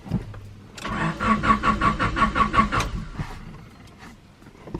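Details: Honda Prelude BB6 that suddenly won't start; it has fuel, the fuel pump primes and there are no fault codes. The starter turns the engine in steady pulses, about three per second for two seconds, with no firing: cranks, no start.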